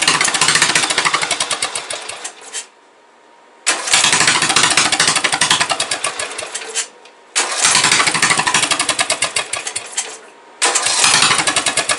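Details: Briggs & Stratton 17.5 OHV single-cylinder mower engine after valve adjustment, compression release working, spark present: fires in rough bursts that fade and cut out, then pick up again; owner suspects the carburetor is starving it of fuel.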